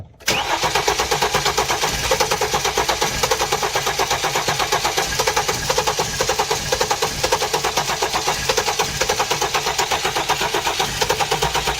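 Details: 2016 Hyundai Genesis, flood-damaged accident car with swapped engine computer, cam/crank timing signal appearing off: even, rapid starter cranking about five beats a second that never fires; crank no start, cause suspected mechanical, not confirmed.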